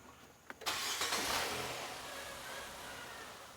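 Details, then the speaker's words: 2018 Nissan Sentra, vacuum gauge on purge valve line during EVAP test: engine catches with a burst, runs ragged and dies; stall from big vacuum leak because a tube was left off. "Oh. Yeah, of course it's gonna die. You know why? Because I forgot to install this tube. Now there's a big vacuum leak there."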